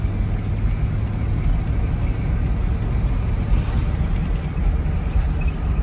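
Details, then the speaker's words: 1999 Chevy Tahoe under way in four-wheel drive after front differential replacement: steady low road rumble, no whine, clunk or grind from the front axle; earlier noises gone, normal healthy driveline. "it's all smooth it wasn't doing any of that guys it was over and now i'm in four-wheel drive it's running"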